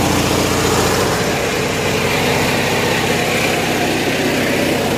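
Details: Generator on 1963 GM PD4106 bus conversion powering the air conditioning: steady even drone at constant speed, no hunting or misfire; running healthy under load.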